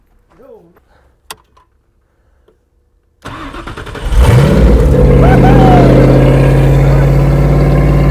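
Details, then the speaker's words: Toyota Cressida first start after two years, with new headers and Y-pipe on an open exhaust, smoking from burning paint and putty: cranks, fires and revs loud and raspy, then holds a smooth, steady idle. "well that sounds awesome don't worry about the smoke that's just all the paint and the putty coming off"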